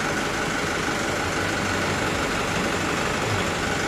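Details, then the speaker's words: Mitsubishi Canter HDL 136 thermo box diesel truck just after a broken injection pump timer was replaced, bearings unscratched: steady, even diesel idle, smooth rumble, no knocks or misses; engine still normal. "Oke sudah ready bosku Ya enternya suaranya masih halus mesin Ada kemungkinan ya masih normal Masih normal"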